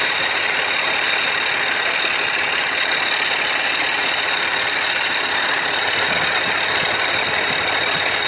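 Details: Land Rover Discovery 4 3.0L SDV6 diesel idling with a loud, uneven metallic rattle from the engine front over a hissy top end; cause suspected, not confirmed.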